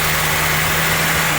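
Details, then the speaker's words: Honda Civic Type R EP3 with K20 engine warming from cold: an even fast idle with no stumbles from the ECU warm-up mode, before a seized idle control valve makes it hunt between about 1,500 and 2,500 rpm once hot. "Alright, the ECU runs the engine a little bit fast, get it all hot, gets the cat working nice and quickly, and then it sits off into an idle mode."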